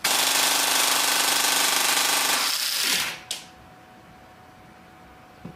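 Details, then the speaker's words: Airsoft APS gearbox driven by a T238 brushless 480 motor on full test: a fast, even high-RPM rattle suddenly cuts out, leaving a whir running down. Tappet plate and gears still turn but the piston doesn't; a lost rack gear is suspected. "oh something just died I think um just judging by the fact that tablet Plate's still moving and all the gears are still turning but the the Pistons not pistoning I believe we might have lost a rack gear in that"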